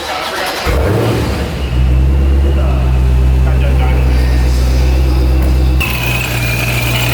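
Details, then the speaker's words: Procharger-supercharged Dodge 392 Scat Pack at the shop: deep steady idle with a thin constant high whine that lifts slightly when revved; the technician says it sounds fine. Normal supercharger whine. "Oh, sorry. Does it sound normal? Sounds fine to me."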